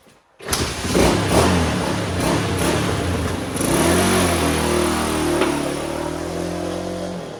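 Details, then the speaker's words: 1985 Honda XL250R RFVC single, revived after years abandoned; compression was very low with intake valves suspected leaking, and oil was added to the cylinder. On a ride it revs cleanly and pulls steadily with an even exhaust beat and no knocks; clutch slips slightly from a tight cable. "all right that's it works good the clutch uh slips a little bit the cable a little too tight"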